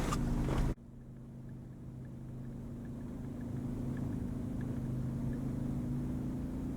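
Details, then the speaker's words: Ryobi 2300 inverter generator started with a 1500 watt space heater plugged in, load reaching 100: after the starter rattle, a low steady hum swells gradually and evenly; smooth, healthy idle-up. "has a nice real smooth idle up feature on it."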